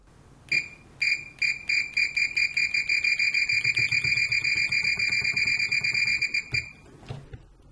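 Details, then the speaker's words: Fluke 189 multimeter, discontinued, new old stock, continuity test with Probe Master gold-plated silicone leads: repeated short high chirps with a warbling, trilling tweedle rather than a clean beep, hard to judge; continuity tone working as designed. "it's kind of hard to tell with that tweetly sound I don't like that"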